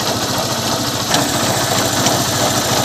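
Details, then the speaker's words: Honda Unicorn motorcycle idling: rough, rattly knock about three per second over the engine; suggested checks are clutch cover bearing first, then engine bearings; exact source unconfirmed; knocking noise at idle. "पहले क्लेश खबर खोल कर check करना है इसके अंदर जो बैरिंग होता है कभी-कभी बैरिंग टूटी हुई थी क्लच का ही प्रॉब्लम देता है"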